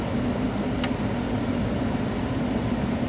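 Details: 1996-2007 Ford Taurus with the engine idling and the AC blower turned all the way up, the only speed that works because the blower motor resistor has failed: a steady, even rush of air over a constant low hum; the blower motor runs smoothly.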